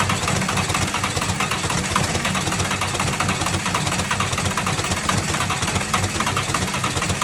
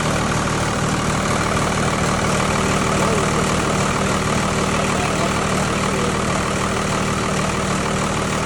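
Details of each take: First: Tucker Sno-Cat with 5.9 Cummins 12-valve diesel, start-and-stall then crank-no-start, after bleeding air from injector lines: steady starter churn with occasional uneven firing on one or two cylinders, not yet taking over. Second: Tucker Sno-Cat with 5.9 Cummins 12-valve diesel, sat over a month after stalling and would only crank (fuel pickup screen suspected), now started: settles into a steady, even idle with a firm low rumble, no misses or knocks; normal idle.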